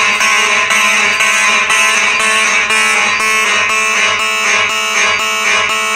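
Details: Simplex electromechanical fire alarm horns (4903-9105, 4903-9101) on a Simplex 4004 panel, system set to march time: loud rasping horns pulsing about twice a second in an even rhythm, all sounding strongly and working properly.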